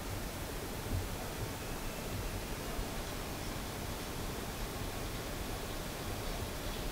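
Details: Dell Precision T3500 that gave a 1-3-2 beep code, after swapping registered RAM for 6GB unbuffered DDR3: no beep code, smooth even rushing fan air with no ticking, rattles or pitch changes as it posts; normal fan noise.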